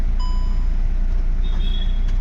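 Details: Audi Q3 diesel that cranked but would not start, after fuel pump replacement (fault code P3073 cleared): low, even rumble with no misses, knocks or surges; normal smooth idle, starting problem solved.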